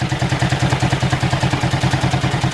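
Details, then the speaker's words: Ford flathead V8 irrigation pump engine, long unrun, good oil pressure: lumpy, loping pulse about eight beats a second with a heavy uneven thump; running rough, suspected couple of stuck-open valves, and something loose clanging in the pump. "I'd reckon to say he's got a couple of stuck valves that are open but aside from that he's up and running again"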